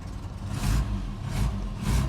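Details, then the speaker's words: Barn-find Austin Maestro, running off its own refitted fuel tank for the first time in a long time, choke pushed in: low, lumpy idle surging about every half second; rough and too low, carb tuning needed. "oh, it is still running. But it's running a little bit rough and the idle's probably a little bit too low."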